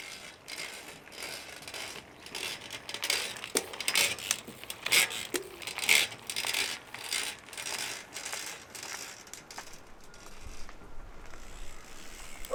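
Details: New Shimano XT M8110 12-speed Micro Spline rear hub making rapid dry creaks and clicks as it turns; freehub creaking, usually easily solved.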